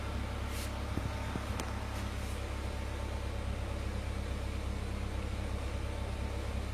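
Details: Honda Civic Ferio (1998 EG) after DIY power steering rack rebuild for leaks, steering fluid refilled, engine started and wheel turned to check for leaks: steady low idle hum, no whine or groan; normal power steering operation.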